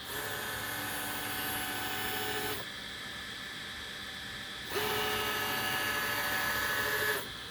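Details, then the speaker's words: Easythreed K1 3D printer after upgrading the X and Y stepper motors to cure a clicking noise, moving the X and Y axes: two smooth, even motor whines of a couple of seconds each, no clicking or skipped steps; normal stepper motion. "i don't hear any clicking let's try homing it well that might try that might try causing a problem in the future but it uh it does seem to be working uh that's not making any noises or anything"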